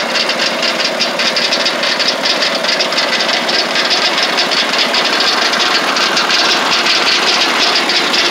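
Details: Lucas Mill 618 sawmill under refurbishment, engine running: right-angle gearbox gives loud irregular metallic clatter; oil inside but lots of gear lash; owner unsure whether rebuild needed or normal.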